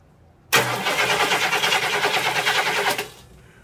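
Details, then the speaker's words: 1972 Cadillac 500 ci 8.4L V8 rebuilt, start attempt with starter fluid sprayed into carb: steady cranking about three turns a second, no catch or firing; cranks but won't start. "let's give it some more starter fluid. Nothing."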